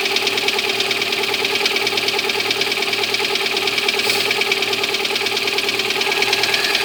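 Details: Lada Granta cold start: sharp, even ticking about three per second over the cold idle, unchanging pace; cold engine knock, cause unknown, owner asks why.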